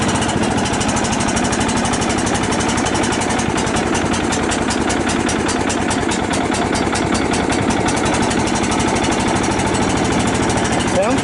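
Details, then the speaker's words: Cub Cadet LT 1018 lawn tractor with about 150 hours, first start after sitting with stabilized gas: steady, even single-cylinder putter at constant speed, no misfires or knocks; idles healthily. "wow she sounds pretty good I guess it only has 150 hours on it"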